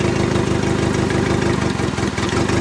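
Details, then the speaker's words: Turbo Honda Civic D16Y8 idling after a 3-bar MAP sensor install: an uneven, stumbling four-cylinder chug with a missing beat because one cylinder was not firing. The injector wire was not seated fully; once reseated it ran smoothly. "know the injector the injector wire wasn't in all the way it feels like cuz now it sounds perfect"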